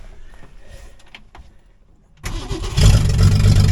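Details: 1966 Mustang after starter installed and replacement battery fitted, first attempt at cranking: after a quiet pause the starter engages and spins the engine evenly and briskly, about four turns a second; normal strong cranking.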